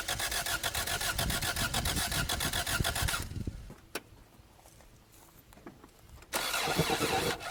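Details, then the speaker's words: 1987 Toyota Corolla FX (AE82) 1.6L four-cylinder, sitting since 1999, cranks at an even pace for about three seconds without catching. Fuel system was re-primed with an electric pump feeding the mechanical pump after suspected water in the carb. It still won't start; owner suspects an electronic cause. "Well, we can't get this thing to run, and I'm not going to bore you with this, so I'm going to start getting all these wires back together here."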